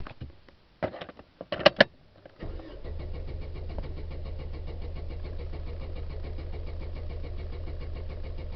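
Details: 2004 Chevrolet Vivant (U100): a few short cranking bursts, then the engine catches and settles into a steady, even idle; hard starting, cause not yet known.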